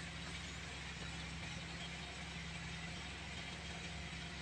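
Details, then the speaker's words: 2010 Toyota Vios with low power, no throttle response, check engine light on, hard steering, no aircon and not charging, just started: steady low idle rumble with faint unevenness under a constant hiss; engine shakes, rough idle, cause not yet found. "Saka parang nanginginig yung kanyang engine guys."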